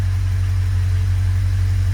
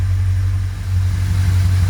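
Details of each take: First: yeah the car is look at that a nice smooth idle Second: Car at idle, heard from the rear: a steady, loud, deep rumble, louder than normal from a big exhaust leak where part of the exhaust rusted out; mechanically as bought, smooth idle otherwise.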